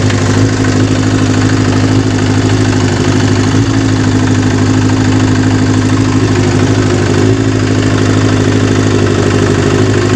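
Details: Kawasaki GPz 400 four-cylinder, after fixing hard starting and an overflowing carburettor: steady, even idle with smooth throttle blips and no misfire, popping or hunting. The engine runs healthy.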